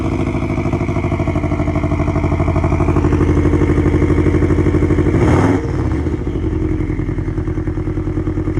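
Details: 2002 Subaru Legacy B4 twin-turbo automatic, sat for months, started on a nearly flat battery: catches and revs with a rough uneven clatter about three beats a second over the drone, unhealthy, cause unknown.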